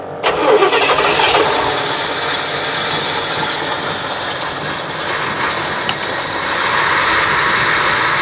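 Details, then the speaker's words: 1976 GMC motorhome after tune-up with new wires, cap and rotor: engine catches and runs with an uneven, stumbling note that never settles into smooth idle, worse than before; running rough, cause not yet found. "right worse than ever"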